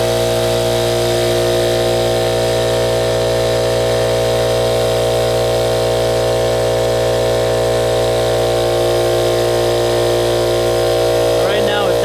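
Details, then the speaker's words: Ridgid air compressor with a steady motor hum and an even pumping pulse of about three per second, climbing to 160 psi; the suspected pop-off valve fault did not appear, and it runs normally. "there you go 160 you said there's something from the pop-off valve but it looks like to me it ran just ran right up like it's supposed to"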